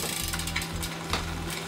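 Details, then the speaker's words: Bicycle in lowest gear, chain on small chainring and biggest rear sprocket, cranks turning: scratchy rasp over the chain whir as the chain rubs the front derailleur's inner cage plate; inner set stop screw not yet adjusted, winding it out stops the rub. "right now you can hear when the Chain's in the biggest sprocket for the lowest gear and on the small chain ring you can still hear that chain rubbing on the inside plate of the deria"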